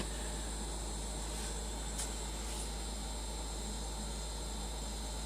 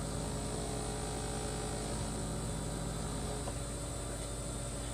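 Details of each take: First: Two-year-old LG refrigerator LFXS24663S, compressor running; low, steady compressor hum with soft fan hiss, no rattles or buzzing, normal quiet run. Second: 2-year-old LG refrigerator LFXS24663S with compressor running: steady low buzzing hum with several fixed tones over the condenser fan whir, from the one-piece plastic condenser drip pan and fan shroud resonating.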